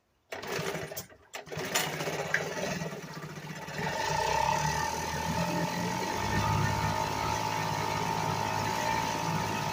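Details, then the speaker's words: 1975 Sears Gamefisher two-stroke outboard after carburetor repair, in a water test barrel: catches and settles into a buzzy, slightly uneven run with faint steady whine; runs but carb needs adjusting. "okay YouTube I can see that if that runs runs but it's gonna need some adjusting and such on it"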